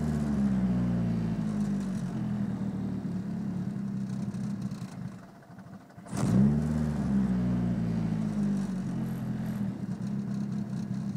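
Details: Petrol engine idling after an intake manifold install: an uneven, lumpy note, blipped briefly three times; a random misfire, with codes P0300 random misfire and P0031 O2 sensor heater circuit low voltage.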